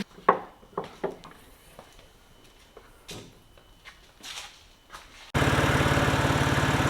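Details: BMW 128i with stock exhaust, before repair: sharp even puffing at every firing pulse at idle; exhaust leak found by soapy water bubbling, bolt tightening attempted but fix failed.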